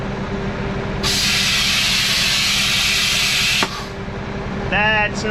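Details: International 4900 truck at diesel idle, air brake parking valve started leaking while hauling corn: a loud, steady high-pitched hiss of escaping air that cuts off sharply. Owner suspects an air line to the valve. Needs replacement.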